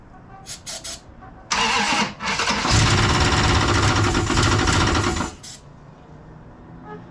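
Engine catches and revs with a heavy, fast metallic clatter riding over the roar, then is shut off; something internal is knocking badly. Cause suspected, not confirmed.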